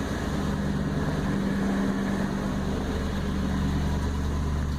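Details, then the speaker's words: 1999 Toyota Land Cruiser 100 Series at idle before muffler replacement, heard with door open: steady deep droning, boomy rumble with heavy resonance, far louder than it should be; original muffler has failed internally, to be replaced with a Bosal drop-in unit. "Very loud, a lot of resonance, not how it's supposed to sound. So that's with the door open, quite a bit louder. So nice and loud, annoying, not quiet like a Land Cruiser should be."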